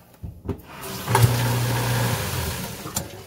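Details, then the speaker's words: New garbage disposal just installed replacing leaking InSinkErator unit, water running; steady low smooth hum with no grinding or rattle; normal operation. "right that's nice and solid"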